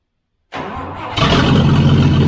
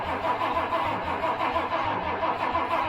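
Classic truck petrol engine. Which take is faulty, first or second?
second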